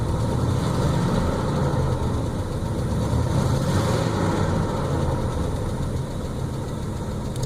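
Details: 1981 Buick Electra Limited before tune-up, running rich with a loud belt squeak: loud, deep idle with a loose, uneven beat about three a second and a slight visible shake; rough idle.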